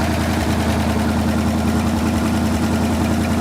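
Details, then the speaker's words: 1974 Ford Bronco engine after sitting 35+ years, running briefly without radiator: steady, even low burble at idle with regular firing beat, no smoke, knock, miss or rattle; running well. "We don't want to run it too long without that radiator. Yeah. I mean, you can't ask them to run much better than that."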